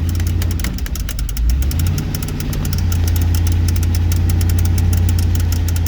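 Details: 2004 GMC truck with oil pressure problems and a massive exhaust manifold leak: steady low idle with a fast, fairly even light ticking knock about three or four a second; cause unclear.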